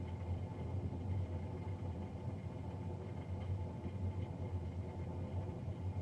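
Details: Navien NCB-240 boiler recorded three days after a Jan 31, 2020 service: constant deep rumbling drone with steady tone near 900 Hz, no rhythm; combustion fan running louder than normal.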